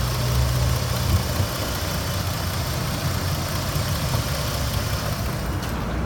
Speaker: 2005 Jeep Grand Cherokee 3.7 liter one hundred and forty eight thousand miles fit in the back purrs like a kitten you can hear